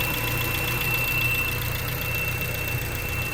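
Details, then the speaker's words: 1992 Honda Civic hatchback, warm engine at idle only: thin steady high-pitched whine over low idle rumble; seems to come from alternator but persists after third alternator and new tightened belt; cause unknown. "it's awful it really seems like it's coming from the alternator but I don't I don't know where it's coming from and it's so annoying it's so annoying driving this thing around CU it only does it at idle"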